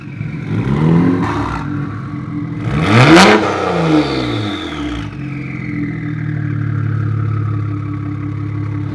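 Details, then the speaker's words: BMW 335i N54 with F54 Super-TD04 twin turbo upgrade (700hp+), first run: revs climb and fall with a loud rising whistle and hiss as boost builds; healthy twin turbo spool. "crazy for twins that's nuts sounds like a like a n63 or something now that's wild"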